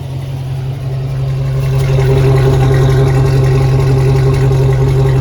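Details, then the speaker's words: 2004 Chevy box truck V8 after battery disconnect and repair, check-engine light cleared: deep, steady idle with even pulses and a clean rise on a throttle blip; sounds normal. "oh sounds like a normal man that's boring what you do what you got to do and the engine light clear"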